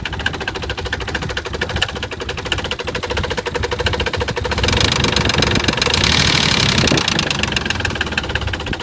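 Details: Nissan 300ZX with a loose, irregular knocking at about three beats per second over a shaky, poor idle; the engine shakes a lot. Rod knock is suspected, not confirmed.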